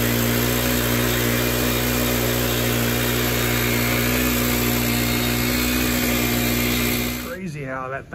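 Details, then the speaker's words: Stihl FS 110R 4-Mix trimmer on the bench, clutch not engaging, before repair: holds a steady high scream with the throttle fully closed and never idles down. Carburettor is leaking gas; a vacuum or air leak is suspected. "i'm going to crank it up and let it idle and this thing just screams with the throttle being all the way closed listen to the way it's idling so"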